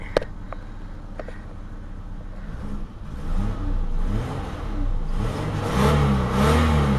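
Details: Eagle Premier engine just after a 2-month cold start with ether sprayed in; starts quiet, then revs climb in repeated pulls, pitch rising and falling cleanly, no misfire or knock, burning off carbon; normal revving.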